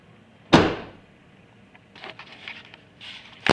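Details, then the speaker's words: 2005 Chevy Impala trunk lid after adding felt pads, caulking and wire to stop a rattle: two firm short thuds with no rattle or buzz afterward, closing solid rather than hollow. "when you close it sounds a whole lot more solid doesn't sound hollow or anything or it make any rattle shaking sounds or that annoying stuff just sounds a lot more"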